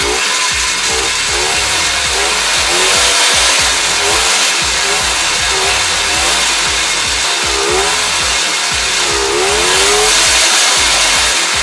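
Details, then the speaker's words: 1986 Polaris 250 ATV running after a carburetor clean and rebuild for a hard or no start, fuel lines reconnected: a crisp, loud, powerful two-stroke buzz that revs cleanly and holds steady. Normal, healthy running. "good good good good and loud and powerful"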